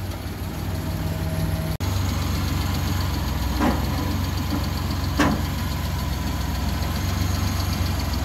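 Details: Suzuki Multicab F6A small petrol engine idling with a steady, even low rumble, no knocks or misses, after a shorted fuel pump that blew the ignition coil fuse was fixed; sounds healthy.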